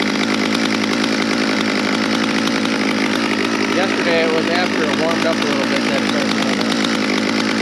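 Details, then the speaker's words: Stihl MS200 rear-handle pro chainsaw after a tune-up; yesterday it kept stalling, today it runs with a steady high two-stroke buzz, holding speed without bogging or stalling. Normal running. "so of course today it's running perfect well I don't know about perfect but it's running without stalling"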